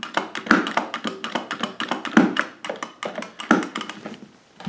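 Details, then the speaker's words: Arcade joystick with a snap ring inside and an ill-fitting washer: irregular hollow clunks, a few heavy knocks about every 1.5 s, something loose inside the stick, not every time; seems poor quality, cause suspected. "these just don't seem like good quality you hear that big clunk it won't happen every time either"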